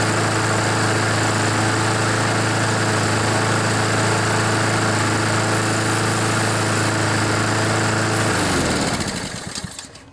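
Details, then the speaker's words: Honda GCV mower engine (Poulan), still warming up and needing some choke, burning off oil left in the muffler from being tipped wrong; smoke clears within one or two minutes: steady, even drone, then smooth wind-down; normal running. "so you can see it only took a couple of minutes maybe just one minute one or two minutes for all that oil to burn out"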